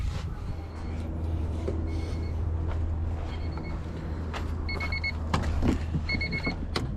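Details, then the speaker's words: Zero-mile rebuilt Honda B20Z engine swapped into a CRX, first start with new NGK iridium plugs: settles into a steady low idle with even beat, some clicks and clatter; runs cleanly and sounds good. "oh damn right away zero mile rebuild b20z wow it sounds good it sounds really good"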